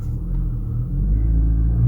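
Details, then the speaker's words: VW Golf Mk6 salvage car, first start after a dead battery: deep, steady, smooth idle with no knocks or rattles; engine sounds healthy. "oh yes she sounds good first impressions"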